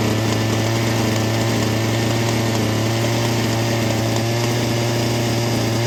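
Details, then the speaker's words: Two-stroke saw, choke pushed off after about 20 seconds of running on half choke: a steady, even buzzing idle with a firm low drone and no misses or surging; a normal idle. "and she'll idle quite nicely at rest just like that"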